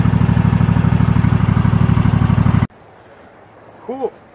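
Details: John Deere LX277 lawn tractor single, sat in a shed a long time, after carb clean and work on rusty magneto coil and flywheel magnet (suspected weak spark): steady even thumping about three per second, no misses, shuts off cleanly; running fine.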